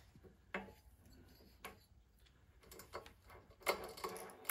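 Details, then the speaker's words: 1985 Litter Getter yard vacuum that wouldn't start, recoil starter reassembled with a little ATF, crankshaft cleaned: light scattered clicks, no grinding or binding as it turns; normal recoil starter operation. "oh yeah much better that's how it should turn"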